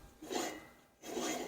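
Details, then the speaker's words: 25-inch McLane GR series 7-blade reel mower, 5.5 HP Briggs & Stratton, reel turned by hand after tapping reel closer to bedknife: two short even rasping sweeps, getting tighter; light consistent reel-to-bedknife contact before paper test. "But as you can hear there, it's starting to get tighter."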